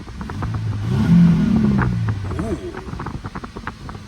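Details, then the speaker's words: Truck at a salvage auction, apparently with stock exhaust, revved and settling to idle: sharp uneven puffing ticks on the exhaust note, suggesting a suspected exhaust leak. "I it looked like it had stock exhaust when we walked around it so it sounds like it probably has some kind of exhaust leak too"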